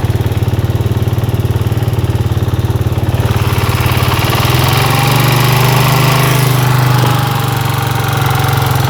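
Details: Suzuki Satria FU single-cylinder motorcycle idling: steady rhythmic tapping about three to four per second over heavy low drone; abnormal noise, exact source unclear.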